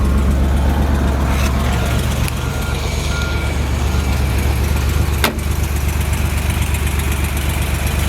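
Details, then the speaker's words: 1979 Porsche 911SC 3.0 Targa with 156k miles and matching numbers, at idle: a smooth, even low rumble with no knocks, misses or rattles; the engine runs really smooth. "we'll start it up you can hear the engine runs really smooth"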